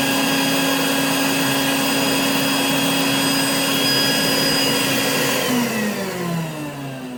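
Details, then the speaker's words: Rainbow E2 Gold canister vacuum after a motor rebuild, parts washed and lower bearing repacked: steady high-pitched motor whine that winds down smoothly when switched off; sounds as it should, with less unit vibration than before. "it sounds a lot better it sounds like it should now and it also the the main unit doesn't vibrate as much anymore"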